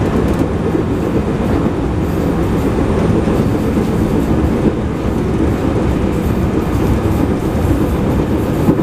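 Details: Onboard recording of a JR 221 series Yamatoji Rapid train (field-added excitation control, 120 km/h top speed) between Oji and Kyuhoji. Steady rail roar with a faint repeating thump that keeps pace with speed. Wheel flat.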